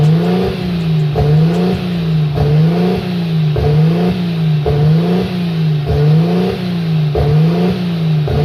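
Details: Nissan RB25 NEO engine during a propane test for a high, hunting idle: the idle swings up and down about every 1.2 seconds. No vacuum leak was found; the cause turned out to be the throttle plate set too far open. Idle surge.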